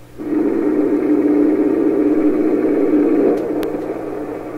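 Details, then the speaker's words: 1928 RCA Victor Model 28V radio during final alignment, feedback adjustment turned; hissy roar swells, holds and fades as regeneration reaches the edge of oscillation, boosting signal tremendously. "Again, you hear that kind of roaring sound just as the feedback oscillation is starting to fail or not working as cleanly as it should. That's the point where the radio is boosting the signal tremendously."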